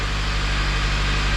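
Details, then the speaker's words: Honda FG2 with a newly installed junkyard engine, first run, no check engine lights and no leaks: smooth, even, slightly fast high idle with a steady low hum and audible injector ticking, no knocks or misses. Normal high idle. "Motor sounds nice and quiet. You can hear the injectors, but motor sounds quiet."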